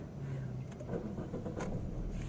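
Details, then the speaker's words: Suzuki Ertiga that had hard starting, after replacing the old Amaron battery with a new Yuasa battery; aircon off, engine catches on one short crank and settles into an even idle, a normal quick start. "Ayos, one click lang. Yun lang pala ang problema niya. Kaya nag-hard starting siya."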